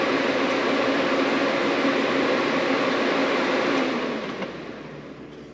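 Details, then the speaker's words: 1995 Honda Accord CD5 with H22 swap and homemade tuck-style radiator with fabricated fan shroud: fan powered by shorting its connector gives smooth, steady rushing airflow with no rattle or ticking, then winds down evenly when power is cut; normal fan operation. "Let's try if the fan will work by shorting the connector. Let's give it a try."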